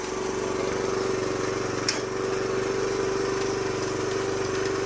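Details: 2007 Honda CT110 after sitting three years, running on choke: light fast metallic rattle about four a second over the single's beat; timing chain loose, needing tensioner adjustment.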